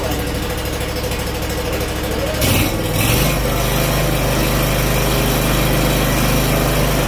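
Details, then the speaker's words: Scag Freedom Z mower, Kawasaki FH580V 19 hp engine, after a new carburetor and reconnecting a missed wire, previously rough idle: brief rev then a slow, steady, even idle with a smooth low hum. "Let's see if hooking that wire up makes a bit of a difference. Nice slow idle."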